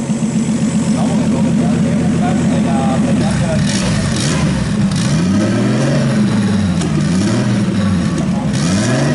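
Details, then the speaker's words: RB26 straight-six swapped into a Subaru WRX on a Haltech Platinum ECU base map, fuel ratio brought down to 12, warming with fans on: smooth clean rises and falls through several blips, no misfires; normal revving. "We have the fans on and it's cooling down, which is good. The engine is revving good."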